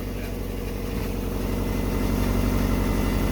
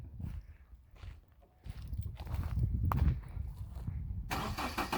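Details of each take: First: Subaru Forester at idle with freshly welded unequal-length headers and stock exhaust: lumpy, uneven burble pulsing about four times a second; normal healthy boxer rumble from the unequal-length headers. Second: Subaru Forester with newly welded headers at idle; faint quick tick under the exhaust note from a small remaining leak at the header, though much quieter than before.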